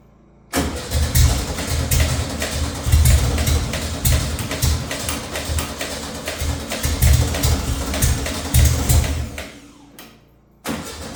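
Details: Volkswagen Beetle project after rearranging spark plug leads: engine cranks, catches and runs with a steady low chugging beat for about nine seconds before dying away.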